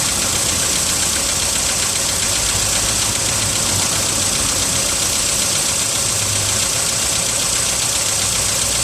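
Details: VW Polo sedan, 55,000 km, cold start at +4 °C: light quick knocking, roughly two or three a second, over cold idle; engine knock, source not pinned down.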